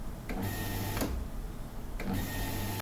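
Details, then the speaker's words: Hitachi constant-pressure water pump short cycling when a tap or water heater is opened. The motor hums for under a second, stops, then restarts about every two seconds. "อาการของมันก็คือมีการตัดต่อค่อนข้างจะถี่นะครับก็อาการแบบนี้นะครับมันเกิดขึ้นช่วงไหนก็คือในช่วงที่เราเปิดเครื่องทำน้ำร้อนหรือไม่ก็ในช่วงที่เราเปิดก๊อกนะครับ"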